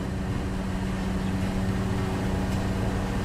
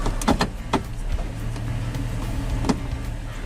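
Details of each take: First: 2000 Toyota Tundra SR5 4.7L idling in gear at full operating temperature after 10–15 minutes running: steady, even hum with no dips or hunting; idle was about 1,100 RPM cold and dropped as it warmed, as intended. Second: 2000 Toyota Tundra SR5 4WD 4.7L, no engine light, idling in gear while warming up: very slow, low, lumpy idle close to stalling; idle drops as it heats, caused by a dirty throttle body venturi.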